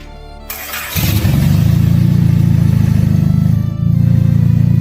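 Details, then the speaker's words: Honda folding-roof sports car, carbureted, first start after oil injected into cylinders and full fluid flush: cranks briefly, catches and settles into a smooth, even low idle with a steady beat, no knocks or misses; rock-steady idle. "It's absolutely silky smooth. The idle is rock steady."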